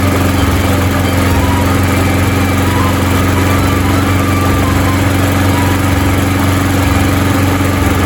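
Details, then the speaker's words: Yard Machines by MTD mower with Briggs & Stratton 158cc 5HP 500 Series engine, after repair (carburetor diaphragm and gasket kit, foam air filter, fresh gasoline) of a no-start and smoking condition: steady even drone at constant speed, no surging or misfire, no more smoke; normal running. "fantastic I'm not seeing any more smoke at all so you know what that means let's go cut some grass"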